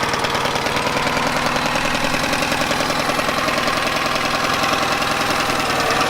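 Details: Yamaha 9.9hp outboard idling after warm-up, after replacing a cracked, dried-out carburetor diaphragm that caused heavy gas leaking; steady even idle with fast regular rattly beat about three per second, no misses or surging; leak fixed, running normally.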